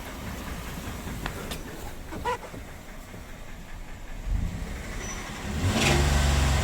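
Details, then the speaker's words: Ram 1500 V8 after running out of oil, warm, idling then revved: light regular knocking from low in the engine, not the lifters, growing with rpm; first thought piston slap, confirmed rod knock; transmission fluid won't fix it. "Yeah. Unfortunately, that's that's a rod lock. That's not piston slap. I was hopeful."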